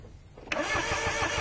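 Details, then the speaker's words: No-start car, spark test while cranking: starter spins the engine with even compression pulses about six a second but nothing catches; spark won't jump at the test point though fuel smell is present; no spark. "it won't jump there's a jump there okay stop yeah it wouldn't jump it wouldn't jump"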